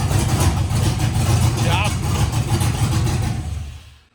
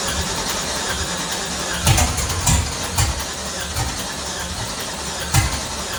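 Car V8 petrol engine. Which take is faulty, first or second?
second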